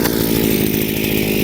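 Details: Chinese two-stroke brushcutter under load, carburetor mixture screw turned too rich: busy, even buzz that never sharpens or climbs, engine choking with no traction or pulling power; rich mixture.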